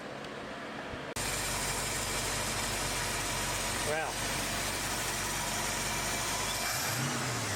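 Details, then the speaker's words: 1970 Ford Mustang Mach 1 V8 after timing fix and fitting the original carburetor's boosters and jets into the replacement carb: catches and holds a strong even note, rising and settling smoothly without stumbling; normal revving. "well that's a lot better well it's a good day here as you can tell I'm pretty happy I think she's going to she's good now"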